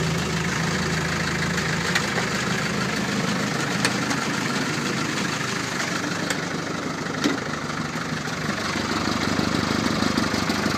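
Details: Land Rover Series 3 2.25 diesel, five-bearing engine, warm UK weather, after 10–15 s of glow plugs, at idle: uneven clatter with a few sharp pops above it; owner suspects timing or fuel pump, timing known to be out and popping.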